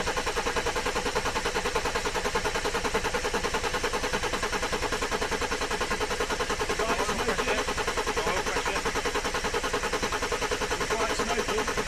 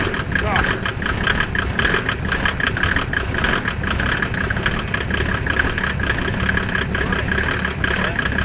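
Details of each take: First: Mercedes OM606 diesel in a Land Rover build, first start after fitting the injection pump, turbo and oil cooler: long regular chuffing crank that never catches; glow plugs not yet wired, suspected cause of slow start. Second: Mercedes OM606 diesel in a Land Rover build just after its first start, microphone near the exhaust: steady, even idle clatter with no misses or knocks; sounds healthy.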